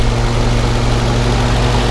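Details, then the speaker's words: 1952 Willys Overland CJ3A four-cylinder, choke pushed in, throttle lever revved: steady even low note, no misses, knocks or exhaust leaks, runs like a sewing machine; normal engine running. "so um you can see here it just runs really really smooth and runs like a little sewing machine and uh sounds real nice no exhaust leaks or anything like that"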